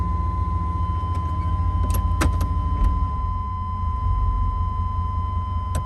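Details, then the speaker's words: 1995 GMC Suburban 2500 4x4, 5.7 TBI V8, automatic; once warmed up, the idle surges in the lower range, searching between 500 and 1,000 rpm with the engine slowly rising and falling, and it often stalls when put in gear; cause unknown. "The RPMs will start to surge in the lower range, searching between 500 and 1,000 RPMs to maintain idle."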